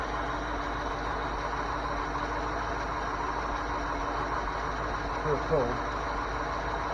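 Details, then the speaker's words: 1981 Ford 302 V8, cold, at idle, listened at top front of engine: steady idle with faint light ticking from the front; owner suspects blown engine/rod knock, not confirmed. "Okay, top, front, of the motor at idle is still cold. I hear a ticking noise now."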